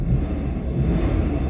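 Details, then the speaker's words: 1997 Toyota Kijang LGX petrol engine, started and blipped: deep, steady engine roar with no knocks or rattles; engine sounds sound and even, typical Kijang LGX character. "Nah, kedengaran untuk suaranya itu masih ciri khas kijang, Lur. Masih ciri khas kijang LGX."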